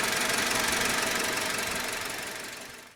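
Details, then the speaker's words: 2000 Honda Civic LX petrol engine after head gasket and melted timing belt replacement following overheating, idling while the cooling system bleeds: steady, even pulse with no misfire, knock or grinding. "it sounds pretty good certainly sounds a lot better than when that timing belt was melted all together into that timing"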